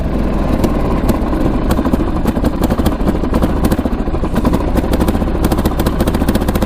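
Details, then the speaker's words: 1998 Kawasaki Prairie 400cc four-stroke ATV, started on choke: single-cylinder runs rough with uneven, stumbling firing and sags as if not getting gas; owner suspects lean running, cause unconfirmed, then it recovers. "like H well that's not good SS like it's not getting any gas"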